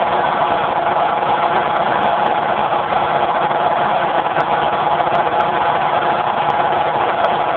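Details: Generator converted to natural gas with solenoid safety shutoff valve, phone mic with poor audio: steady even drone at constant speed, no misses or surging; runs smooth, normal running.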